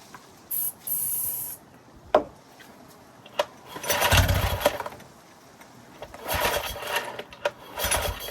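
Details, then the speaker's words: Yamaha 9.9 HP four-stroke outboard, non-runner unused for years, no fuel system attached, choke in, rope starts on Easy Start spray: short ragged firing bursts that fade each time; running only on starting fluid, no fuel in carb, carb may hold dirty fuel. "Okay, it's chewing through the Easy Start. There's obviously no fuel in the carb. It's just operating on fumes from this."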